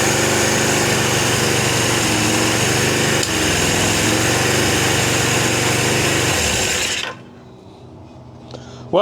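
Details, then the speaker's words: Suzuki GS750 four-cylinder, about 23,000 on the clock, first start after sitting, choked: busy, high steady idle with quick even pulses about four a second that never settles, idling too fast; also dripping fuel on number two cylinder; needs tuning. "it's idling too fast. It's also dripping on the number two cylinder."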